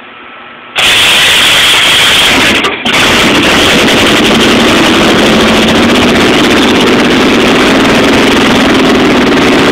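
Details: Chevy 350 V8 in a school-built T-bucket, first start-up after rebuild: catches after a short crank and settles into a loud, steady, even-firing idle with no knocks or ticks; normal running.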